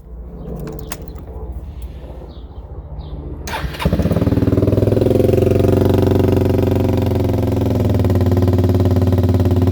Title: 2014 Suzuki Burgman 200 exhaust leak